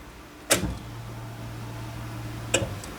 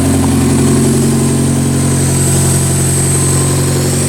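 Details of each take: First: The 90 after restoration, key-on with fuel lines reconnected to the rails: a click, a steady low electric hum under two seconds, then a second click; the fuel pump priming normally, with no leaks or spray found afterward. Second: Car started after PCV tube replacement and fuel pump relay reseating: a thin steady hiss over an even idle, confirmed as a vacuum leak.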